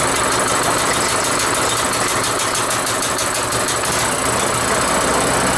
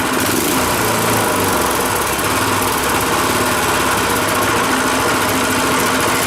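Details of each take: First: Rototiller single-cylinder engine after carburetor cleaning, cold, just started with choke on: busy idle with light quick tapping about three per second from the rocker cover, otherwise running really well. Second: Rototiller single-cylinder engine after carburetor cleaning, warm after about 20 minutes running, fuel off running dry: steady even putter settling into smooth low idle, no misses or knocks; idles right down before quitting.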